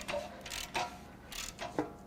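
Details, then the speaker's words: 2019 Ford Ranger 2.3L EcoBoost, failed at 104k miles with poor maintenance, turned slowly by the crank bolt on the bench: dull metallic clunks as the rod reverses, from excessive clearance, likely at the number two rod bearing. "yep that's a problem so we've got a problem with likely number two bearing you can hear it ooh that one's worse"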